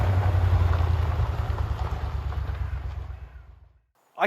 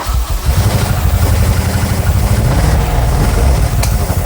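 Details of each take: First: 1970s Aston Martin V8 barn find after a carb rebuild and fuel-system rebuild: deep, steady V8 burble with an even firing rhythm and no misses or knocks, idling smoothly and healthy. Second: 1970s Aston Martin V8 barn find, first start after priming carbs with fuel pump on, leaking a bit: loud lumpy sputtering and popping, nearly dying then catching; likely fuel starvation, not confirmed.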